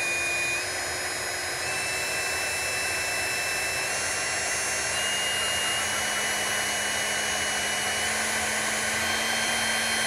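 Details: Small brushed DC motor running unloaded, its voltage raised by hand so the smooth high whine steps up in pitch; internal fan, commutation noise and a faint airy hiss, checked on a Uni-T UT353 sound meter; normal running.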